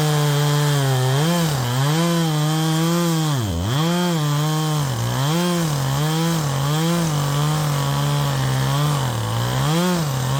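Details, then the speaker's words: Modified Poulan Pro 5020 chainsaw with a 20-inch bar and fresh 3/8 chain, cutting wood: pitch sags and recovers about once a second. Engine surging under load; owner suspects it's fuel-starved and may need leaning out, unconfirmed. "maybe it needs to be leaned out a little bit more I was to expect from that like I'm running out of fuel"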